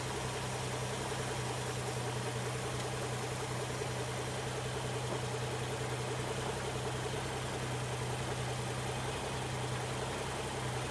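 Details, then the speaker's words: 1960 XK Ford Falcon, first start after 12 months sitting, not yet warm; low idle with an uneven, lumpy beat instead of a smooth run; owner suspects stale fuel in the tank — rough idle. "she's running a little bit rough so I think that the style field in the tank"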